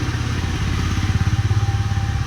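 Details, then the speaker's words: Mahindra Rexton after left-side wheel hub bearing replacement (new hub with ABS sensor), customer had reported loud noise from left wheel; now pulling away with deep, even engine rumble, no hum or grinding from wheels — repaired, driving normally. "വണ്ടി ഇറങ്ങിപ്പോയി സെറ്റായിട്ട് കേട്ടോ."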